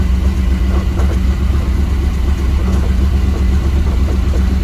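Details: 1987 Powerplay XLT-185 boat, Mercruiser 350 with a Holley Sniper EFI replacing the Rochester Quadrajet carb, not yet warmed up or in closed loop: deep, steady idle burble, even low rumble around four pulses a second, no stumbling; running fine.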